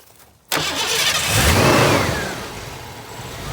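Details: 1990 Ford Mustang with a crank-no-start, right after base timing is set and the spout connector is refitted: the engine catches at once, revs smoothly and settles to a steady even idle with no misses.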